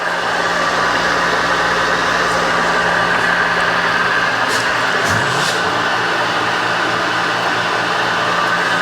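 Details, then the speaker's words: Milling machine left outdoors for a year, restored and now powered through a VFD, back gear engaged; steady motor hum with a constant low tone and smooth whir, no knocking or grinding; running evenly and healthily. "Oh yeah, she's working great. Oh, it's perfect."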